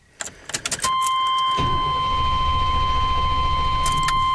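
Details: 1993 Chevy Silverado with an intermittent, worsening hard start, owner suspected the fuel pump relay but a new relay did not fix it; PCM or a bad wire now suspected: keys rattle, door chime, starter cranks about 3.5 turns a second without catching; hard starting.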